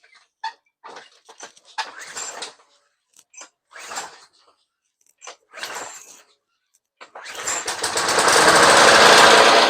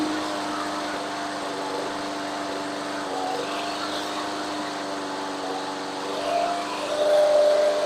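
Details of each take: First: Roadside Craftsman 21-inch push mower, Briggs and Stratton 6.5 hp, very dirty air filter, starting fluid sprayed in: quiet hisses, then it fires for a couple of seconds and winds up; has spark and compression, carb probably needs cleaning. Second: Craftsman 21-inch mower, Briggs and Stratton 6.5 hp, after carb clean, idle being adjusted: steady, even small-engine drone with no misses, speed lifting toward the end; running healthy.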